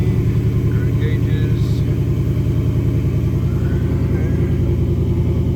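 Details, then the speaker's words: 2018 Mustang GT with a new crate engine, otherwise stock, 3,940 miles: steady, even V8 idle with a regular low pulse around 3.5 beats a second and no knocks or misses. No check-engine lights; normal idle. "no check engine lights good to go sounds nice and smooth"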